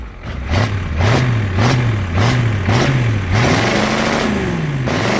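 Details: 1985 Ford F250 6.9 IDI naturally aspirated diesel, smoking heavily, truck won't move; deep clatter rising and falling in quick blips, revs held flat at top by governor; normal free revving.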